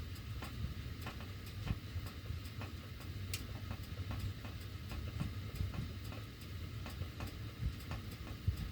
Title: CAN ANYONE EXPLAIN WHY MY DUCTWORK MAKES THIS NOISE WHEN MY HEAT IS ON